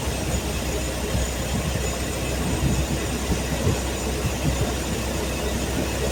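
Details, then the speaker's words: Truck six-cylinder after new spark plug wires and initial timing set, previously running rough: low, steady rumble idling smoothly and evenly with no misses, knocks or stumbles. Normal idle. "God, it runs smooth. Smells pretty good."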